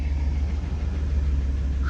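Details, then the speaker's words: Van just started hot after first oil change: smooth even low idle rumble, steady firing, no knocks or ticks; engine purring normally, oil pressure gauge reading near halfway. "Hot. She sounds okay. Yay, she's purring."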